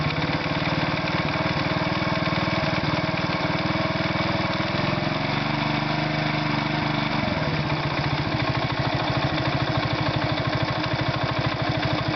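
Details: Irbis Virago 110 motorcycle idling: loose, uneven knocking about three a second that speeds up through a brief rev blip and returns. An engine knock, cause unknown.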